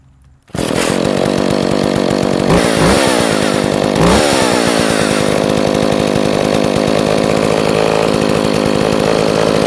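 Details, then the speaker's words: Echo 452VL two-stroke chainsaw after repair, choke off, mic placed next to it, settling into a steady even idle with quick throttle blips; runs great, just a little smoky. "so as you can see it runs great it's just a little smoky but we can fix that"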